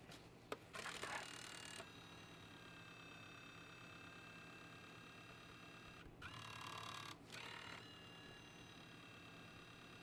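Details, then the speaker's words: Nintendo Wii console being tested for disc reading: quiet whir broken by two loud rough grinding bursts about a second each, drive "sounds like a tractor"; likely another bad disc drive, suspected not confirmed. "This one just has a red dot on it. Ah, very nice. This one's disc drive sounds like a tractor."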